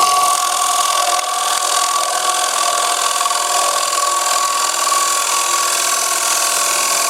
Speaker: spots hear that the vibrations tell me I'm too far over my tool rest I have to make some adjustments before I continue I don't want it bouncing that way again